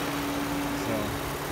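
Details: 2006 Toyota Sienna XLE V6, hood open: steady, even idle with a faint light injector and valve tick over the hum, no knocks or misses; a healthy-sounding engine.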